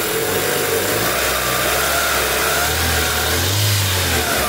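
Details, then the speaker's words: 2003 Honda Civic, head gasket suspected; engine revs up and down with a faint whirring whine from the timing belt, worse when warm. "Mas é aqui fora eu vou tirar a caixa para ver e a correia a correia dentada faz ruído também Ah é mais quando esquenta viu"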